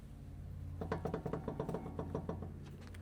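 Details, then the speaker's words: Vehicle with worn CV shafts: rapid string of about a dozen dull clunks as the shaft is worked by hand, occurring while driving as the suspension moves; both shafts need replacement; worn CV shaft clunk. "So, the whole time this customer's going down the road as the suspension's moving and doing its normal thing, it's doing this. And what that is is the CV shafts are just worn flat out."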